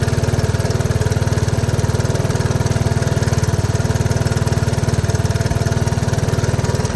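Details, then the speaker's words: 1983 Honda ATC 185s single-cylinder ATV, after a carburetor screw was turned out to cure hard starting that needed starting fluid; steady thump around three beats a second, idling without stumbling, still seems slightly lean; owner thinks the screw needs to come out a little more. "yeah I think it needs to be adjusted out just a little bit more but I think for the most part we' got it"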